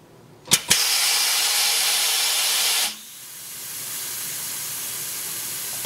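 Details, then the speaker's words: Coats 5030A tire machine after rim clamp air cylinder rebuild, air connected: sharp steady hiss of escaping air settling to a softer constant leak; the leak is a coupler fitting, not the rebuilt cylinder. "so that noise you heard leaking was one of these fittings which is on the coupler which I have another video coming out soon on that"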